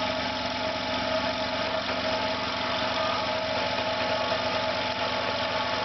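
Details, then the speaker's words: Air compressor on its second start, motor suspected damaged with burnt plastic smell, parts running hot: steady hum with faint uneven pulsing, not running round, beginning to vibrate; motor running rough. "You can hear again it's not sounding round. Begins to vibrate a little bit."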